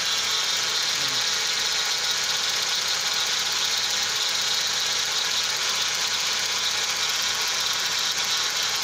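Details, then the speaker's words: Toyota Corolla with its A/C refrigerant lost, engine running for a leak test: a steady high-pitched whine over the idle that holds constant, traced to the power steering pump; charging reads 14.2 V but the battery is weak. "So ayan, umandar na siya guys, pinandar natin. Pero maingay siya. Yung ingay na yan guys ay galing dito sa steering pump."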